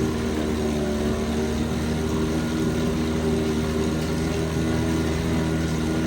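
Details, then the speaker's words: 1968 Evinrude 3 hp Yacht Twin vintage outboard, likely unrun since April, started in a test barrel before winter storage; soft, even idle with a steady low hum, no misses or knocks, barely audible, idling great. "Thing idle sound great. Barely hear it."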